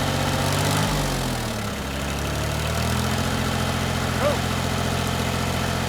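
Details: 1988 Yanmar 336D diesel tractor, unrun for 6 years, after fuel, oil, air filter and coolant checks; settles as throttle comes up to three quarters, then a steady, even fast-idle beat with no misses or knocks, coolant circulating.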